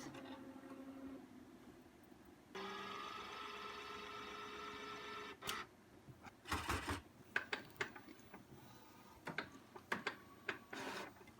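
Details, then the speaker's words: New Epson SureColor P600 printer, first use, printing on ultra smooth fine art paper: even carriage whir for a few seconds, then regular feed clicks and clunks; printing normally. "Oh my god, I think it's actually printing. Holy crap. It's working, guys."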